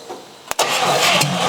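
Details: 1956 Chrysler Windsor 331 Poly/Semi-Hemi V8, freed from stuck, hot-wired with no carburetor: sharp crank, catches and runs evenly about a second before dying, no hammering or knocking from bottom end.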